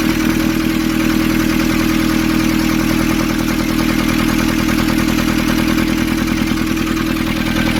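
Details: Nissan Urvan ZD30 diesel, after a no-start repair in which a soot-clogged part was cleaned and refitted: even clatter at a steady idle, about three beats a second, no misses; clean, healthy idle.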